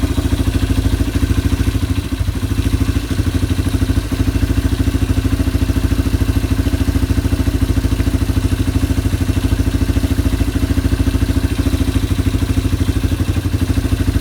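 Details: Yamaha ATV (four-wheeler) idling after carburetor cleaning and float adjustment, air box rinsed and new air filter being assembled. Even single-cylinder thumping, regular beat, no misses or hunting: normal idle.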